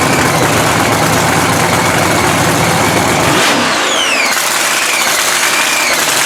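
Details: 3,500 HP blown Hemi drag truck restarted after all-night rebuild following a 3-second pass, warm: loud lumpy big-cam idle with steady roar and even firing, no knocks or misses; engine running healthy.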